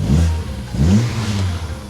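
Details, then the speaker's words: Mini Cooper bought cheaply at auction, first start on collection: deep, throaty bursts as throttle blipped, rising and falling cleanly with no knocks or rattles; loud John Cooper Works exhaust fitted; healthy engine with sporty exhaust note. "Right, it don't sound too bad. Don't sound bad at all. Sounds like it's got a bit of an exhaust on it as well."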